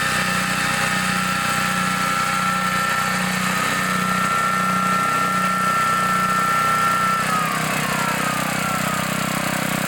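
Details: 1960s Bolens 28-inch Lawn Keeper mower, carburetor not adjusted, untouched at least 15 years, mowing: steady, even chugging under load, no misses or knocks; sounds and runs good, smooth normal running.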